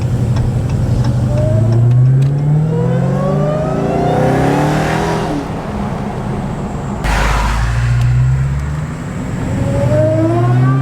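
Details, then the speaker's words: Car driving with a cold air intake, low on fuel. The engine pulls hard with a rising, screaming whine on top: a healthy supercharger, louder with the intake. "So as you can see, it sounds really good. You can really hear that supercharger scream."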